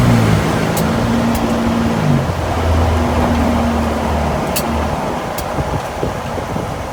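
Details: 2024 Nissan Frontier Pro-4X with Nismo lift kit pulling away from a stop: low droning hum with a faint whirring tone under road noise; source of the noise when accelerating unclear.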